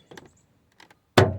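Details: 2004–2006 Toyota Sienna door opening with single loud clunk; door check stop strap broken at its mount, previously welded and bent, to be flattened, welded and riveted.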